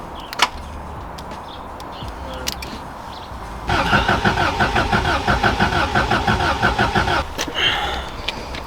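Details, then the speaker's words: Subaru Impreza WRX STI Classic, off the road since 2010, keys lost, hotwired with fresh fuel: starter spins evenly about three seconds, never catches; spark good but not firing the fuel, immobilizer cutting injectors suspected. "but the spark's good it's just not firing the fuel"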